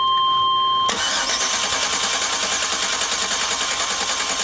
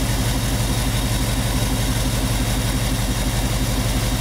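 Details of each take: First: 1998 Chevy van 5.7 V8 with multiple-cylinder misfire, cranking with coil primary unplugged for relative compression test: steady even cranking beat about three per second; compression sounds good. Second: 1998 Chevy van 5.7 V8 with constant multiple-cylinder misfire, idling during a plug-wire cylinder drop test: a brief loping RPM dip as one plug wire is pulled and replaced, showing that cylinder fires properly; cylinder balance test, RPM drop on good cylinder.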